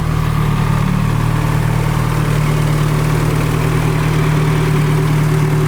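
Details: Nissan Cefiro with fully built Honda K24A2 swap and T56 Magnum, rebuilt after a rod went through the block: smooth even low idle, no ticks or knocks; 90 psi oil pressure now idle is no longer high, 119 coolant temp, warming up.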